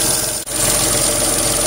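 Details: Renault Twingo III SCe70 at idle: constant piercing high squeal from an accessory belt pulley or tensioner, suspected lack of lubrication, treated with a drop of engine oil.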